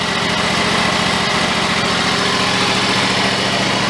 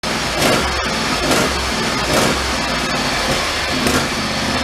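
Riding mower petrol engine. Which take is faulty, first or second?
second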